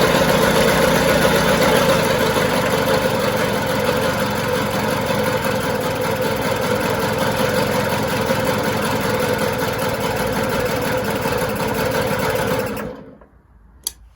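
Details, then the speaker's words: 1977 Puch Maxi S moped two-stroke, checked on the bench after long shed storage, first start: steady, even buzzing idle for twelve seconds with no knocks or misses before shutting off; it started quickly and revs out well. The carb may need some idle adjustment. "the good thing was it started up really quick it revved out well and yeah the engine runs well"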